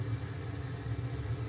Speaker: so you get rid of that raw we'll try this transistor well see that's quite um down stopped on totally quiet